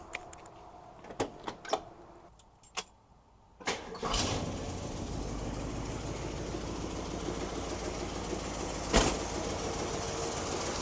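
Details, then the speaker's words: 1967 Lincoln Continental convertible V8 after ignition coil replacement and locating where spark plug wires were jumping spark: a few clicks, then it fires and settles into a steady, even idle, running smoother. "I feel like it's running smoother foreign I think let's go take it for a test drive what do you think let's"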